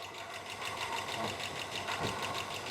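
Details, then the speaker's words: Drag-car engine at idle: a light, quick, even tick follows engine speed at the top end, not the lifters; owner suspects the non-adjustable rocker arms, and it lessened but persisted after about 20 minutes of running. "it's somewhere in here so it's telling me that it's not a lifter it's a rocker platter"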